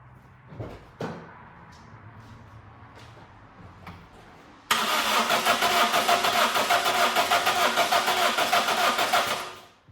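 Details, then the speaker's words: Toyota Corolla with blown fuses, after fitting a spare part at the starter: a few clicks, then steady starter cranking at about three pulses a second for five seconds, never catching; cranks but won't start. "So, the last video was about 3 days ago, and the car wouldn't start after we put in that fuse. couldn't figure it out."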